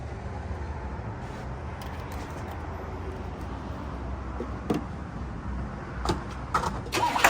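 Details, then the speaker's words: Old crew cab Buick wagon on fresh gas, after power brake system swapped for a vacuum booster: low, steady idle rumble, even throughout with no misses or knocks, a smooth, healthy idle. "Hot rods. Everybody loves that sound, don't we?"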